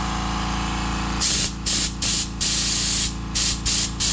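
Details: Kobalt 2-gallon air compressor run at 120 psi: a quiet motor hum, then repeated sharp spitting bursts of air from the drain, with a little water still in the tank. Condensate in air tank.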